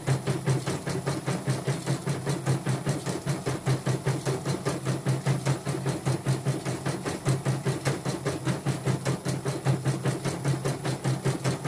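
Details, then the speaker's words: Portable embroidery machine shipped from Sekayu, South Sumatra with complaints of no embroidering, blank screen, hoop not positioning and dead touchscreen; test stitch after mainboard, LCD and touchscreen work: fast even needle tapping at steady rate over low motor hum; normal embroidery stitching. "Oke, saya ngetesnya segini saja ya, karena sudah kelihatan hasil oke. Oke, sudah oke lah ya."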